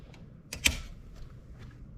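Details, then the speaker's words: Home circuit breaker that kept tripping, snapping back with spark and buzz on reset: after troubleshooting and reconnecting wiring, one firm snap as breaker is switched on, then quiet with no trip click; breaker now holds normally. "it's holding right there now then cut off that was some trouble shooting right there"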